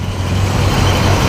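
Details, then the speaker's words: 1970 Buick GS V8 after an intake change, with the alternator charging properly and the engine hot: deep, even rumble at raised revs in neutral, no miss; running smoother and healthier with the four-barrel carburettor opening fully. "so fires right up under neutral as you can hear she sounds a whole lot healthier yeah for some of that 70s muscle sound going to her now"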